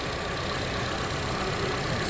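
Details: 2013 Honda CR-V after stretched timing chain repair (code P0341), freshly reassembled with oil on the exhaust manifold burning off: smooth, even idle with a steady hum, no ticking or rattle; now revs past the former 4,000 rpm limit.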